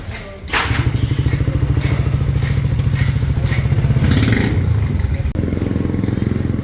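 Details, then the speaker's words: Raider 150 FI motorcycle, connecting rod failed at 1,943 km, after repair: single-cylinder thumps at a steady, even beat, about two to three pulses per second, no knock or clatter; now quiet and smooth. "Tahimik na oh."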